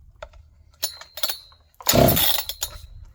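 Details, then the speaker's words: John Deere CS 81 chainsaw, possibly flooded, first try without choke: a single rasping pull on the starter cord with scattered clinks and no firing at all; the saw isn't catching. "Alright, I guess we'll try choke. It didn't fire it off, so might have to choke it."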